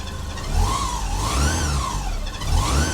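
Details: Porsche 944, off the road five years, just restarted after parts replacement, radiator leaking: uneven running with a bird-like chirp sweeping up and down about once a second over the rumble; chirp source undetermined.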